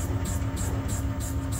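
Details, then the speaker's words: Opel Zafira C Tourer ZF CDCe (IDS+) adaptive MacPherson damper on the test bench after repair: a steady low mechanical hum with an even repeating cycle and no knocks or clatter; adaptive functions working normally. "We can change it continuously We apply a tension We see that after our repair, all adaptive functions of the shock absorber work flawlessly Have a nice day !"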